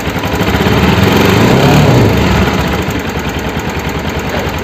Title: NS 200 ENGINE NOISE PROBLEM/தமிழ்..